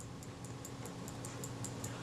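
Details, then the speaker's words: Kodak Retina Reflex III camera shutter after servicing, cleaning and lubrication (moly paste on detent spring pin that caused friction): light, even clicks about five a second, no squeak, now smooth and free running. "nice and smooth now nice and free running just shows what a little bit of lubrication in the right blow skin do"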